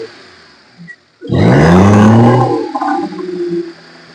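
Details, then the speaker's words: Maruti Suzuki 800 carburettor engine revved: climbs sluggishly, misfires and will not reach full revs, with tapping and strong engine vibration. "Raise ചെയ്യുമ്പോൾ എന്ന് പറഞ്ഞുകൊണ്ടാണ് എന്ന് പറഞ്ഞുകൊണ്ടാണ് അതുപോലെതന്നെ full ആയിട്ട് വണ്ടി റേസ് ആവുന്നതും ഇല്ല"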